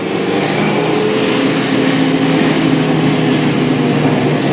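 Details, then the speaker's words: 1995 Mustang 5.0, stock-block 302, Trick Flow heads/cam/intake, Vortech V2 S-trim supercharger, 42 lb injectors, 3.73 gears, Moates chip tune, under wide-open throttle: steady engine roar with a clear blower whine on top as it pulls; normal. "definitely hear the blower man it's crazy it pulls good"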